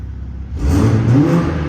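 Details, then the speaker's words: 2020 Toyota GR Supra 3.0 Premium on the factory exhaust in normal mode: a quiet idle, then a quick clean rev that rises and settles smoothly with no rattles or pops; sport mode gives more factory pops and bangs. "so that is in normal put in sport you get a little bit more Pops and bangs that is Factory"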